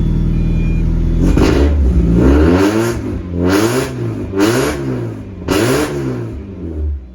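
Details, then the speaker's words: Miata drift car after fitting a new muffler, blipped four times: a deep note rising and falling smoothly, quieter but still a little loud. The earlier resonator rattle was likely a loose bolt; nothing rattles now and the exhaust sounds healthy. "Okay, it's definitely still a little loud, which I kind of still wanted, but oh my God, the tone is so much better."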